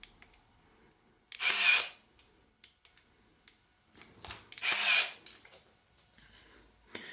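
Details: Zenit KM Plus camera in new condition: two loud, sharp whirring bursts about half a second each in a quiet room. The motor drive's shutter and film advance cycle normally, just very loud.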